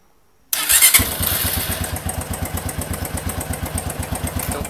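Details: Motorcycle started on a homemade 14 V lithium battery built from scrap notebook cells; quick crank, then catches and settles into a steady even idle thump about four beats a second, clean healthy start.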